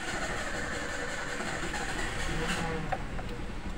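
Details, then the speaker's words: 2008 Toyota Avanza, cold engine after sitting about an hour: steady rough starter churn runs for seconds before it fires; restarts easily once warm, returns after 5–10 minutes off; fuel pump already replaced without fixing it; long cold cranking. "seperti itu ya teman-teman untuk keluannya starternya sangat panjang tapi kalau setah kita matikan kita starter lagi sudah gampang hidupnya"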